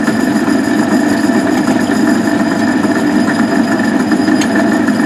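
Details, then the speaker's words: Van Wert coal stoker under a Gentleman Janitor boiler after six days burning pea anthracite: constant whirring gear drone with faint rattle, the stoker gearbox making a bad noise but still running. "here's some uh video of the stoker running and the not very good noise that the gearbox is making but it'll uh it'll it'll keep going for another month like that I hope"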